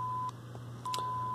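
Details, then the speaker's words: LCR meter measuring the oscillator transformer's inductance (about 57-58 microhenries) with a speaker hooked up: steady pure test-signal beep in on-off bursts over a low hum, normal meter operation. "of course you can hear the thing beeping because it's running a killheart signal into it to measure it"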